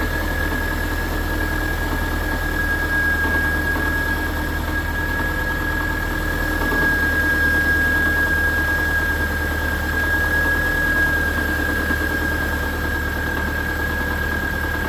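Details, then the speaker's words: Subaru at idle right after alternator replacement, alternator now whirring audibly while charging: steady tap about four per second over a faint whine, seeming to come from the bell housing area; engine not knocking, owner suspects a loose torque converter bolt. "Tell you that noise that I'm hearing, it almost sounds like it's coming from the bell housing area. Like, I wonder if this thing could have a loose torque converter bolt."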